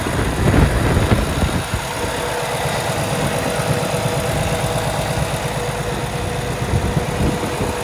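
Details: 2017 Kenworth T680, Cummins ISX diesel, automatic, 577 miles, checked at idle for leaks and fan hub: steady rhythmic diesel clatter, even and unhurried, no misses or knocks; healthy idle.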